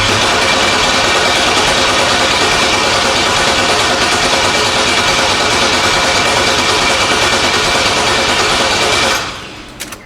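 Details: LS-swapped El Camino on a battery charger, crank no start: loud, even cranking at about three turns a second for nine seconds that never catches; the fuel pump runs and the rail has plenty of fuel, so there is no spark.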